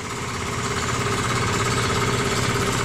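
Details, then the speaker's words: Free scrap electric air compressor, made in China, first run after revival and not yet oiled: steady, even, quick pumping thump with an airy hiss and no knocks. Quiet and healthy; later reaches 30 PSI. "Probably should put some oil in there. Is quiet. That's nice."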